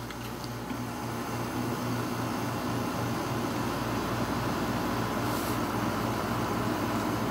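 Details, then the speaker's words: 1986 Kenmore air conditioner running on low fan: steady compressor hum with a soft regular pulse and even airflow hiss, no rattle or squeal; normal operation, outlet air measured about 51-53. "you can hear the compressor although you can't see it put it on low fan and we'll measure the"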